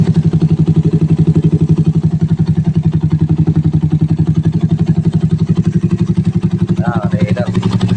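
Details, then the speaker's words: 180 cc Raider 150 single with 30 mm SWR carb (125 main, 35 pilot jet), four-valve, after fixing bog-down and backfire: steady, even idle about four beats a second, no cutting out; normal idle. "Paano niyo malalaman na maganda yung Menor Ayan oh walang putol yung tunog niya tuloy-tuloy kasi naka four vales eh"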